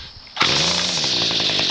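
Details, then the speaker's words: Garbage-picked string trimmer, owner thinks it has a Ryobi engine, after a flywheel repair and with a modified muffler. Not warmed up, it starts on the first pull and settles into a loud, raspy, steady buzz: running normally. "And so, you can hear my god- aful muffler uh modification."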